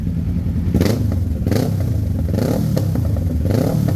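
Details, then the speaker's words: Kawasaki Ninja 650 before the backfire-removal fix: sharp pops and cracks about once a second over a low engine rumble as the revs fall, strong backfire on deceleration at low rpm. "Ang lakas ng backfire niya. Lakas ng backfire guys."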